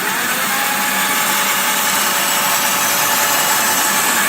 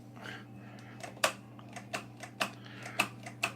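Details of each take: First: Razor E300/E300S electric scooter after replacing the original lead-acid batteries, which had failed from not being charged. The hub motor gives an even, steady whirring hiss under throttle with no knocks, grinding or cutting out; it runs normally. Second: Razor E300 electric scooter charged 12 hours: sharp irregular clicks about every half second over faint hum, wheel motor never spins; batteries under 24 volts, too weak to drive it, battery replacement planned.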